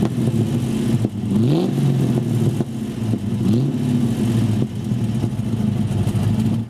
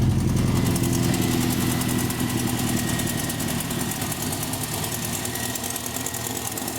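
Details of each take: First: Rover SD1 engine before a temporary top-hose repair, being blipped: revs climb and fall unevenly with some clatter underneath; poor response and rough running, cause not pinned down. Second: Rover SD1 under restoration, after temporarily patching a leaking top coolant hose: engine settles from a fast start into a steady, even idle with no knocks or misses; sounds better than before.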